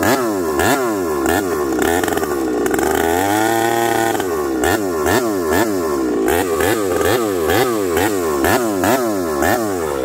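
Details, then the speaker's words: Ported Husqvarna 371 XP chainsaw with new coil, cold start after sitting a couple of days, carb being tuned (set three-quarter turn): revs rise and fall with a wavering, burbling note that never cleans up; carb set too rich. "let's tune this thing hold on I gotta try okay you heard this thing Pig rich half a turn or one full turn let's I put it at three quarter this thing's too rich friends give me a second here"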